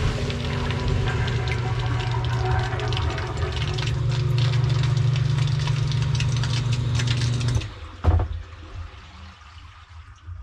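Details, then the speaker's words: Everbilt HDS50 1/2 HP submersible sewage ejector pump, complaint of constant humming, test with the pit filled and pump submerged: steady low hum with water churning about seven seconds, then a clean cut-off once pumped out. Normal operation. "i pumped all the water out and everything is now stopped it's not making noise"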